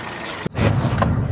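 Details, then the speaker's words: Toyota Yaris with excessive vibration and check engine light, after oxygen sensor and spark plugs were replaced and the fault fixed: it settles into a steady, even idle with no stumble or misfire, and the check engine light is now off. "So kita ninyo mga bayai na malaki na yung pagbabago doun sa andar natin. Wala na siyang pamamalya."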